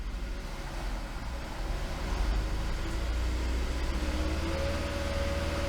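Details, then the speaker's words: 2015 Ford Flex at about 2500 rpm with headlights and electronics switched on during charging test: even, steady engine hum with a faint rising tone as load comes on, no roughness; charging 14.57 V, low ripple, normal. "Normal charging voltage 14.57 and low ripple."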